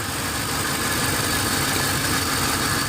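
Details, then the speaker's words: Ford Explorer 4.6 V8 with P0308 cylinder 8 misfire after replacing moisture-shorted coil: steady idle turns uneven and shaky when that coil is unplugged, confirming cylinder 8 now firing; misfire fixed. "and it's shaking so we know this cylinder Now is working see it's shaking there you can probably feel it in the camera"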